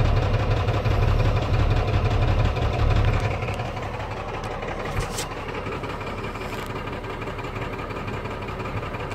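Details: Cummins 12 valve diesel, rebuilt .040 over, timing ~16°, injection pump ~20k old: lumpy uneven idle losing strength partway, misfire; worsens after driving or revving until stalling; fuel filter, lift pump, governor springs, overflow valve replaced; cause unknown.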